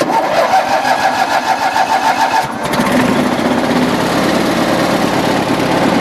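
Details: Cold engine in snowy weather, just refueled and given more choke after stumbling. The uneven note steadies after a couple of seconds into an even, continuous run. Engine now running cleanly; normal running.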